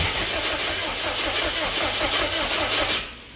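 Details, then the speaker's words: Subaru Brat with WRX engine swap, previously no spark: catches in ragged bursts on starting fluid sprayed into the throttle body, sputters unevenly about three seconds and dies; actual cause unknown. "we got sputters now the hole I just sprayed the throttle body and it backfired and blew up and nearly called everything on fire"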